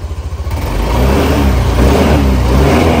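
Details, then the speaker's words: Cold start of a used scooter, 14,000 km, one owner, recorded at the exhaust: starts first press, no white smoke, smooth rev rise and steady even hum with no misses or rattles; normal cold start and rev. "โอ้เครื่องดีไม่มีคนขาวเห็นมั้ยฮะบิดเป็นมาเลยนะครับผมนิ่งๆเลยนะครับ"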